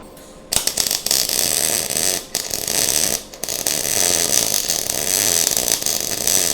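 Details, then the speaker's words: MIG welding on a 1:8 scale GP40 locomotive project: harsh, spitty crackle with short breaks instead of a smooth sizzle; welder suspects too hot, wire feed likely too fast, later slowed for a better weld. "No, that ain't right either. It don't sound right. It don't look right. Maybe I got it too hot."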